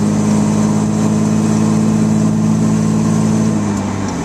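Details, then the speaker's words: Heavy diesel truck idling with a low steady drone and rough puffing pulse from a blown exhaust gasket; EGTs had jumped to 1500 on a hill climbed at 20–30 mph, and it lost power pulling away from a light. "I can hear the exhaust the exhaust leak right"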